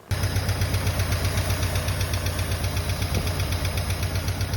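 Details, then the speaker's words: Freshly rebuilt Mustang engine with brand-new lifters and a carb needing work: steady low idle with a heavy regular knock, two to three per second; knock of unknown origin, possibly lifter tap. "but it definitely was just a terrible uh knock of some type well maybe a lifter tap but the lifters are brand new"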